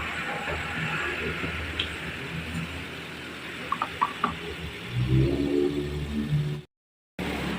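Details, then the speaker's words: 2012 Toyota Avanza that surged 1000–3000 rpm with AC on: low, steady, smooth idle settling to 1000 rpm, no misses or surging; normal. "Nah, kita tunggu dulu. Dan untuk mesinnya oke, halus."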